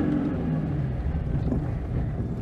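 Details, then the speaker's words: 1992 Oltcit after brake master cylinder rebuild, possibly too much choke: low uneven rumble that stumbles and splutters; choke to be pulled fully to see if it improves. "feeling very um coffee spluttery though you get to choke in fully and see if that improves matters"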